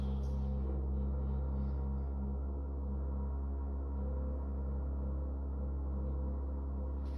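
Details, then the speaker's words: Loud, sporadic humming vibration and rattle in an apartment building stairwell, heard on and off all day: a deep steady drone with a pulsing buzz like distant drilling. It can be felt through the stair rail and is quieter in the hallway. Mechanical source unknown. "It's loud rattling. I have no idea how these other apartments don't hear that or haven't said anything yet if they can hear it."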